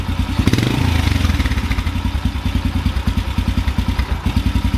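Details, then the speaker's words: Carbureted motorcycle with the idle mixture screw backed out further. The idle is low and lumpy with uneven thumps around three a second that stumble and blubber, way rough; the mixture is far too rich. "getting worse let's go a little more out now it's real rich kind of blubbering"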